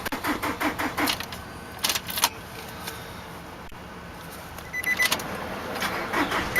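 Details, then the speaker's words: 2003 Nissan Altima 2.5 with a blown engine, sitting 8 months, jump-started: starter spins it in quick, light, even pulses, then stops without catching; not enough compression to fire, flywheel reportedly bad. ">> UNFORTUNATELY, THIS ONE JUST WON'T FIRE. IT DOESN'T HAVE enough compression to engage."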